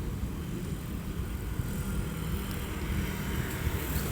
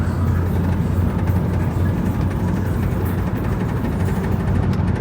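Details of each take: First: 2007 Honda Civic while driving, after a loose front plastic trim piece was secured with zip ties: only steady low road and engine hum, no buzzing or rattling from the front end; trim rattle fixed. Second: 2007 Honda Civic, noise at the front: fast, uneven plastic rattle about four per second over steady engine rumble, caused by a loose front bumper chrome/black trim piece; fixed by securing it with zip ties.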